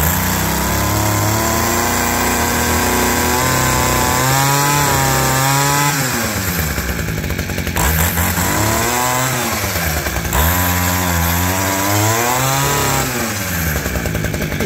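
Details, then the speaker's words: Abandoned roadside two-stroke hedge trimmer, reassembled with throttle cable refitted: steady buzz rising and falling cleanly with throttle blips; runs healthy. "Yeah! What a sweetheart. It's pretty cool."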